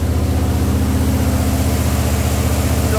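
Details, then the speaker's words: Jeep CJ5 freshly built engine with Holley EFI, break-in at raised idle about 1850 rpm, about 10 minutes in: even, steady thrum, no ticks, knocks or stumbles; healthy, oil pressure about 45 psi, coolant about 208°F. "all right I'm gonna bring up the RPMs and start the break in I'll be back all right about 10 minutes into the break-in"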